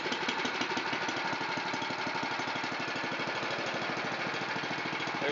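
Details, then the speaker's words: Honda GX270 on NorthStar water pump, long-sitting no-start, full throttle with choke: quick even single-cylinder idle, steady and smooth with no misses or surging; healthy idle. "There's a nice idle."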